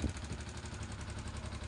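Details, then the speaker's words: Yamaha Exciter 135 motorcycle idling and slowly revved before valve adjustment: rapid, even metallic ticking from loose valve tappets with about 0.25 mm clearance, later reset to 0.10 intake and 0.15 exhaust. "kêu của các con đội van bị lỏng. Bây giờ tôi sẽ mở bìa. Hãy để ý, nó bị lỏng."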